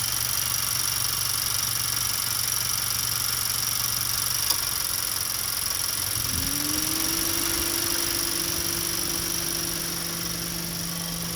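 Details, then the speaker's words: 2014 Honda Accord 4-cylinder running hot, AC on, at idle: a fan motor spins up and cycles on and off with the AC compressor clutch; only driver's side fan runs, fuses and relay checked good, suspected cut wire or computer. "Anyway, right now with the AC on, you can hear the fan go on and off with the AC clutch."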